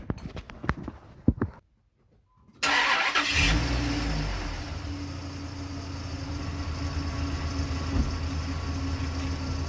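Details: 2003 Dodge Ram V10 8-liter after replacing the belt tensioner pulley (old one had bearing play, chirped when cold): engine cranks, catches and settles into smooth idle with only soft belt hum, no chirping; belt drive healthy.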